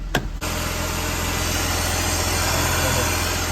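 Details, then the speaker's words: BMW E46 after a Vanos rebuild with new seals and an aftermarket intake filter fitted: steady, even idle with a soft intake hiss, no misses or ticking; intake sounds good and the engine runs healthy. "hear it sucking so everything under the hood looks good um intake sounds good"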